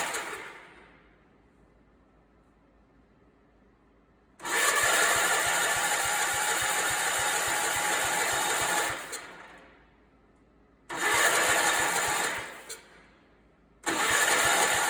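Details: Allis Chalmers 416 garden tractor, a barn find being started for the first time, freshly re-plumbed fuel tank with small leaks; three bursts of steady starter cranking with no firing, even though it has spark. Cranks but won't start.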